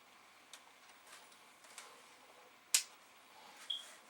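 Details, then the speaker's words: Amiga 500, yellowed with a missing F10 key, tested per Commodore's drop-to-reseat-chips bulletin after showing a strange startup screen: faint light ticking about once a second with one sharper click, the floppy drive seeking and waiting for a disk. "oh well it's making sounds like it wants a disc and they'll go to put a disc in it's not making their sound interesting make your noises let's try again"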